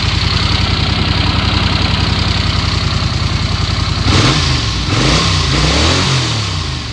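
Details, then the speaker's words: 1982 Honda Silver Wing GL500 warmed up after intake manifold repair, coolant leak fix and carb cleaning: even, steady idle for four seconds, then clean throttle blips rising and settling smoothly; no leaks, purrs, healthy. "it purrs like a kitten once she gets warmed up she uh throttles just like you want her to"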